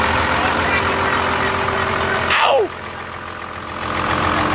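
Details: Dodge 2500 with a no-start problem, running after a starter replacement: a steady engine drone holding an even idle with a brief chirp over it; it starts and settles into a normal run.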